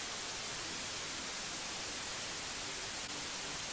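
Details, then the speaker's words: ammoon AM-6R USB mixer, microphone with phantom power heard through monitor: constant bright, even white-noise hiss. Fixed by enabling AGC and lowering the levels to zero in the Windows microphone settings. "as we can hear there is a white noise in the background which is a common problem using this mixer"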